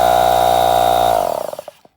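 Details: NuTool Impact Air 1.5hp Chinese-made mini compressor after drive belt renewal (old belt slipped on motor, fan started before compressor), tested without fan and top cover: steady clean motor hum, smooth spin-down at power off, no knocks or slipping; normal run.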